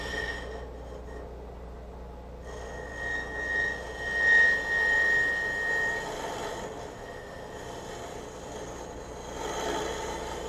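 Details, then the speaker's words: Woodturning a walnut goblet on a lathe, hollowing with a scraper using very light passes: a thin wavering whine near two kilohertz rises over the cutting hiss, tool chatter from pushing too hard. "You can hear the vibration. If you push too hard, you get that."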